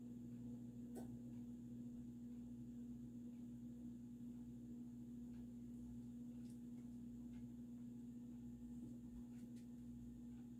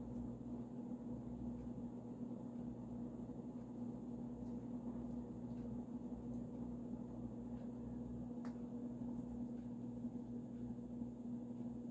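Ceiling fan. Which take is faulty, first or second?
first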